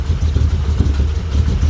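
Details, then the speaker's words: 1985 Dodge D150 with 408 Mopar small-block stroker, Comp Cams roller 238/242 duration, .589 lift, 110 LSA, Holley-type 850 carb, first cold startup idling near 400 RPM: low, slow, choppy lope from the cam. Finding: lopey idle from aggressive camshaft. "you can hear it you can really hear that cam in it"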